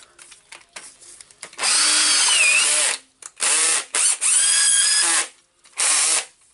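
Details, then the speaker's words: Makita BHP453 drill: high-pitched whine in short bursts, pitch sagging and wavering under load; clutch slips, owner suspects the gear assembly clutch spring cannot hold pressure. "I think her the problem is the spring finger the problem is in this spring it cannot hold the pressure the spring"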